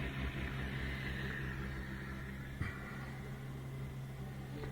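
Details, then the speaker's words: New Bosch Ascenta dishwasher, first test before panels and insulation fitted: low steady pump hum with soft water swishing, quiet and even; normal wash circulation. "So now I can hear circulation. Just turn on for a second. Here you go, turn it on again. So that's the water swooshing around."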